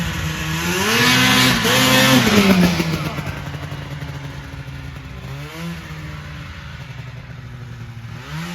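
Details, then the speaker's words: 1980 Yamaha Exciter two-stroke snowmobile revived after sitting 19 years, running outdoors in snow: crisp revs rising and falling cleanly, picking up without bogging; normal running. "so sounds all right yeah sounds good man"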